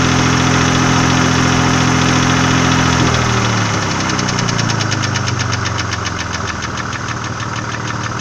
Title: VG30E стук гидрокомпенсаторов и клапанных кулачков